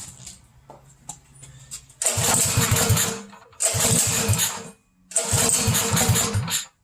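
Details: Mini bike with aftermarket Mikuni carburetor, just after catch can install: three short bursts of the small single catching and revving, firing pulses stumbling and uneven; running rough, owner plans carb tuning.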